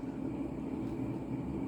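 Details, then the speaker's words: Mid-1980s Montgomery Ward Evergo 48" spinner ceiling fan, model 4E-3LW, with a heavy cast-iron motor on the original control at high speed: a rough train-like rumble and low drone from badly worn motor bearings, plus some motor noise. "start start it up on high and you can hear how noisy those bearings are i think sounds like a train although despite its horrific bearing noise"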